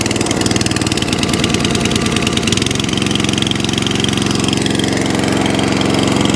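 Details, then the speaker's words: Atco Balmoral 20S mower with Tecumseh engine, bought as spares/repair (starts but dies), carburetor cleaned, started first pull on choke; fast idle surging slightly up and down, mild hunting, owner suspects a leaner mixture and plans carburetor tuning. "oh yeah right i have a little tiny bit of hunting there a little tiny bit of hunting but i can rectify that just by tuning that carburetor it may want to be running it's a little bit leaner than what it was"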